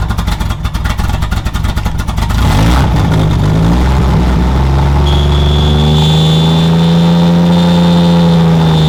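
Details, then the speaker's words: Budget 2JZ-swapped BMW E36, stumbling lumpy idle at just over 40 psi fuel pressure, then it revs to a steady drone; rough idle persists, and the owner suspects the MAF because unplugging it makes the engine rev up and die. "definitely still has a rough idle just a hair over 40 psi on in fuel pressure"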